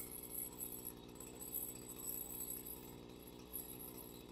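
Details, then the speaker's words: Stihl FS 55 RC two-stroke trimmer after carburetor/fuel line work (purge bulb wasn't filling): started with a couple of primer pumps, full throttle, choke then off; bogs slightly, quiet fast buzzing run with uneven thin note, running lean and needing richening. "A couple of pumps, full throttle, full choke, choke off. There's a bit of a bog there."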